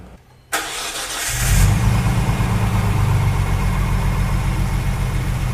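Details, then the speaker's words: Freshly rebuilt Nissan RB26 engine, 9.0:1 compression with 8.5 CP pistons, N1 oil pump, oil head restrictor, ring end gaps slightly looser than factory, first start with exhaust on, driveshaft off: brief crank, catches, steady even idle, no excessive blow-by. Healthy. "She's running good. Sounds good. Got no excessive blow-by right now, which is good."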